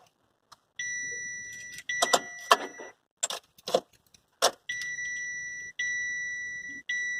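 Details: Chevrolet Captiva that won't start: clear high chime in roughly one-second bursts, cut by key and switch clicks, repeating during the no-start.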